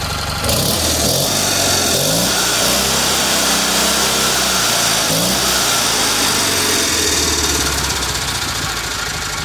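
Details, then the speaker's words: Rebuilt Kohler Magnum M18 single from a Cub Cadet 1882 on a test stand: catches right away, quick even putt with a few throttle blips; runs clean and healthy. "it's a it's a running engine again so [Music] here it is in all its glory fire's right up man [Music]"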